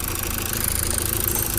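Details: Mazda Skyactiv diesel after rebuild for coolant pushing into the system, first start after bleeding air with no lift pump: even clatter at steady idle, no heavy knock or miss; oil to be checked as new-assembled parts start dry.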